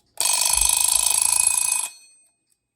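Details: Late-model plastic Westclox alarm clock (stiff clutch noted): a rapid, even hammering on the bell for almost two seconds, then a clean stop; the alarm mechanism strikes properly.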